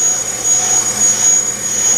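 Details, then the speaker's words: Bench brake lathe cutting a rotor: steady piercing high squeal over a consistent cut, from rotor vibration against the cutting bit; a noise-absorbing damper device minimized but didn't eliminate it; brake lathe chatter squeal. "actually a vibration i'm going to try something this device here helps absorb noises as well and put that on that minimized it didn't eliminate it"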